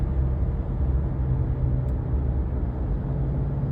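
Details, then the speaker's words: 2018 Subaru Crosstrek driving above about 40 mph, coasting off the throttle: a low, steady droning hum under road noise, like knobby truck or ATV tires, from a rusted, worn rear wheel bearing that was replaced. "but it's kind of like a hum or the best way I can describe it is kind of like if You' ever heard like a you know a truck with like Navi tires or an ATV or four-wheeler going down the road"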